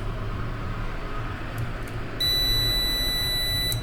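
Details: Prolink 700AC UPS, switched on while connected to mains: one long, clean, high beep of about a second and a half; normal start-up, green light showing power present and battery charging.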